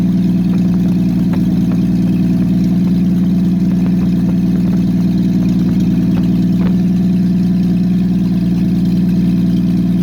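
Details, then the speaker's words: Engine with aftermarket Monojet carburetor freshly installed, exhaust off, start after about 3 weeks sitting; loud raw open-exhaust drone with uneven lumpy beat, rough idle; owner suspects idle or mixture needle setting, choke needs adjusting. "It sounds terrible with the exhaust off, so I'll have to see what that idle or the mixture needle is set at."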